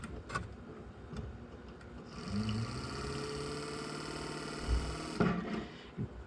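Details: Window motor for a Nissan Figaro, bench-tested on 12 V from a car battery via jumper cables: clean, steady whine for about three seconds, starting and stopping crisply; motor spins freely and healthily.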